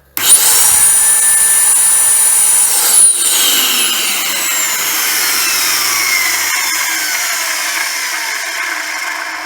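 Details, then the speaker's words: Dyson YDK vacuum motor from a DC07, run bare with no filter or sound deadening: high scream cuts out, then pitch slides down through the wind-down with a rough, gravelly undertone; worn motor bearings. "that's the sound of emo with dodgy bearings it'll probably keep running for ages and ages and ages like that"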